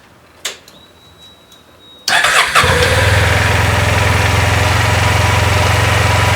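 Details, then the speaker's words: Honda Silver Wing 600 scooter with new belt, after clutch teardown, driven pulley nut torqued to 40 ft-lb and drive bolt to 76 ft-lb, emergency brake on: engine catches and idles evenly, no squeal on throttle; squeal likely was clutch pads. "any time I would give it gas before it squeal now it's not squealing so it must have been the clutch pads"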